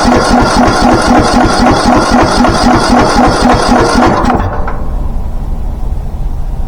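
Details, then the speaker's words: Craftsman T1600 riding mower with an engine believed trashed, being revived: hard regular knock about four per second over rough running until shutdown; deep knock, likely bottom-end. Engine knock. "I mean, I can still hear it knocking."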